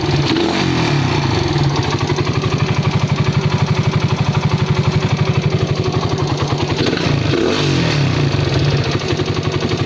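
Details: Raider 150 motorcycle, carbureted single-cylinder, before repair. Fast metallic clatter about four times a second rides over the idle and rises with revs; top-end engine clatter, cause unknown, quiet after the fix.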